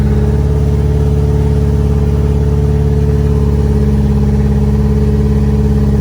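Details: B5A4 engine on newly installed standalone ECU, untuned, after setting reversed firing order to work around suspected mis-pinned harness; firm regular low rumble with steady beat, no stumble, firing evenly on all cylinders.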